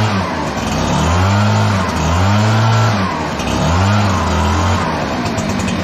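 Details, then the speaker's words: Echo PB-9010T backpack blower, about 500 hours, previously running poorly when cold, after richening the carburetor a quarter turn, started without choke: smooth, even revs with no bogging or stumble; normal running. "So anyway, made a huge, enormous difference. It's running great."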